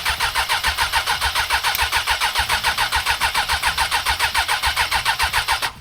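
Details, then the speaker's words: 1996 Suzuki Bandit 600 engine in a 1996 Polaris Sportsman 500 quad, first start after carb cleaning and pod filters, on choke: choppy, pulsing, rough run at about 3.5 beats a second. Owner expects the jetting is wrong for the pod filters. "I can't believe it. It sounds so different."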